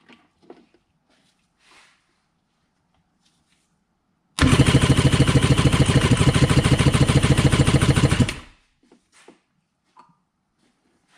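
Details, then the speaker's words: Freshly rebuilt jet ski X2 two-stroke engine during a compression test: steady, even cranking pulses, with both cylinders reading almost 200 psi. Heavy assembly lubrication makes the numbers unreliable, so a recheck after running is planned. "build the same almost 200 psi that was an interesting test as far as curiosity goes but it doesn't really tell us much"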